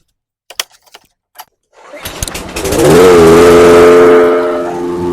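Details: Briggs & Stratton engine on a 22-inch Toro Recycler mower after swapping an aftermarket carburetor for the original OEM carb, head previously redone; pull-start, catches and climbs to steady even speed without hunting or surging; normal running.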